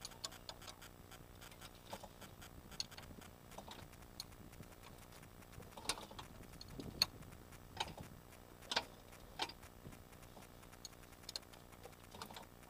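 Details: VAG AAM 1.8 engine, 75 hp: light, sharp ticks over a quiet background at an uneven pace; knock inside the engine, source not clear.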